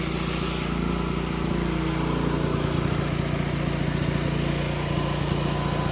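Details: Free broken Chinese generator after fuel system repairs, started the next day to check voltage and frequency output: small single-cylinder engine holds a steady, even, fast beat with no misses or surging; normal running.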